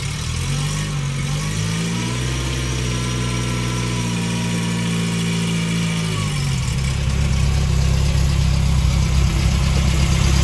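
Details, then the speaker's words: 1971 Fiat 850 Sport Coupe, now nearly up to temperature after being restored to running: small engine idling evenly with a steady low beat, rising briefly then settling; smooth, healthy, normal idle. "So not sure how well you can hear me over the engine, but as you can see, she is ticking along just nicely."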